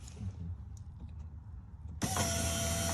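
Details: 2018 Dodge Charger SXT, key on after replacement fuel pump connector was re-pinned (ground and sender power wires swapped): quiet, then sudden steady electric hum and whine as the new pump powers up and primes normally; car then starts.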